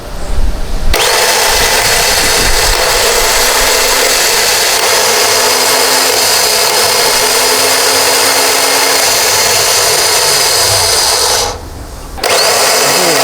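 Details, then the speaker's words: Airman compressor starter motor (dynamo) rebuilt from parts of two starters, bench-run on battery power without a relay; spins hard and fast with a harsh, gritty whir; rough-running, suspected weak winding or armature, not confirmed. "Dinamo starter sudah muar, ya. Sudah dorong, sudah oke, tapi agak kasar, ya. Kenapa kasar? Nah, ini kemungkinan ya kemungkinan ada gulungannya yang lemah atau angkernya"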